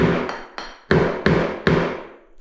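Six hollow, ringing taps on a floor tile, a drummy sound showing the tile has lost its bond.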